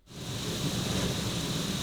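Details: Rooftop RV air conditioner without its silencer ("before"): loud steady rushing hum with a faint high whistle, even throughout; normal running noise.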